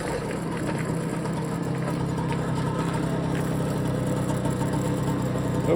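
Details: BSA Ariel 3 (K2) two-stroke moped on a test run, checking suspected fuel starvation after carb cleaning, a new fuel line and a relined tank. A steady low drone builds smoothly with throttle, no surging or bogging; first test good.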